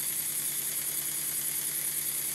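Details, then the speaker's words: Stuart Models Double 10V model steam engine with a partially straightened, previously bent crankshaft, before oiling: soft steady hiss with faint even chuff and no knocks; runs quite well, flywheel fairly concentric. "this is a good example of a short double 10v and it runs quite well"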